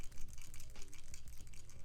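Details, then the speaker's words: Apple AirPods Max shaken: loose, irregular clattering bursts like a small part loose inside the housing; suspected causes are something broken off from a drop or, more likely, an overscrewed internal screw. "there can be many different reasons why, but the two main reasons will be that one, the previous owner has dropped their AirPods Maxes and something inside the headphones has broken off and started to rattle."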